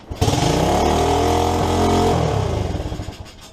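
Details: SSR 110cc single-cylinder pit bike, just fitted with a new head and timing components, fires with the choke on and the idle turned all the way up. It runs with a quick, even beat, revs up and settles back, with no knocking or clatter; normal running.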